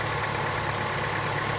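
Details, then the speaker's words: 2011-2016 Chevy Cruze 1.4L just after oil pan replacement and 4.5-quart oil fill, started to check for leaks: small petrol engine idling evenly, no knocks or misses; no pan leaks, slight timing cover and oil cooler seepage. "Okay, so we got it cranked up running here, and so far I don't see any leaks coming from a pan."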